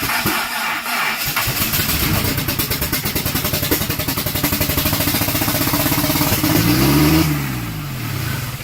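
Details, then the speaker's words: Conquest build, first start after fitting new plug wires and a coolant temp sensor: the engine catches and the revs climb quickly to about 3,000 rpm and hang there; the throttle is possibly open too far. "Did it start to run away? Yeah. Probably, maybe this thing is open too far. It went up to 3,000."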